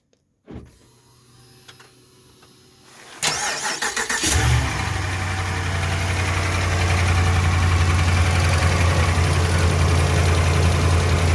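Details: 2011 Ram pickup, about 10 years old, cranks and catches, then idles cold with a fast metallic rattle over the firing beat. A bent transmission-to-engine inspection plate, missing an edge bolt, was rubbing the flexplate and was bent back out.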